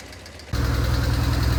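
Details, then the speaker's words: BMW R1150GS boxer engine idling at full operating temperature after an oil change: quick, even, loud tapping from the left cylinder over the idle. Valve clearance is suspected but unconfirmed. "So you can see now, with the engine all the way up to operating temperature, how loud that ticking noise is."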